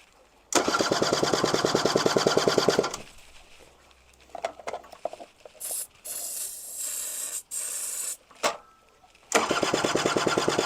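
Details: Honda Vision scooter being tried for a start: two bursts of rapid, even starter cranking with pauses between, and the engine never catches; cranks but won't start, cause not confirmed.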